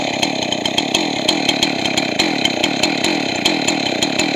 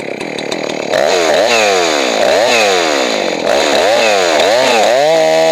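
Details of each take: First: Two-stroke chainsaw after carburetor rebuild, high-speed mixture adjustment: screams at very high revs with a sharp, thin crackle, running lean until the high-speed jet is richened, then brought back slightly rich. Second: Johnson Red 670 two-stroke chainsaw after Tillotson carburetor rebuild and tuning: snaps cleanly up and down through repeated revs, about four a second, crisp pickup with no bog. Normal chainsaw running, well tuned.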